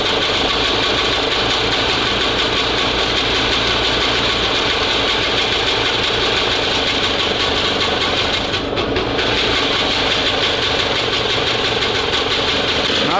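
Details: SMZ invalid carriage two-stroke (motorized microcar) after long storage, timing reset about 2 mm before TDC: steady, busy buzz running evenly without dropouts; running normally, later stalls as fuel tap vibrates shut.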